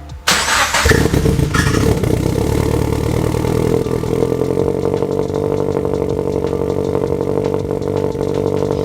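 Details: Turbo Subaru BRZ second start, after smoke from the burnt turbo blanket and oil spilled from the oil feed, with a coolant leak: cranks and catches, then a slightly lumpy, hunting idle; running a little rough until a custom tune.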